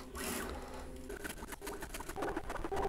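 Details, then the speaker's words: Bambu Lab A1 3D printer during first-power-on calibration with active motor noise cancelling: quiet irregular swishing and soft ticks as the head moves, with no grinding; normal linear bearing noise on the rails. "so they were much louder and now they're much quieter so it's literally canceling the motor sound mostly all you hear is like the bearings moving on the"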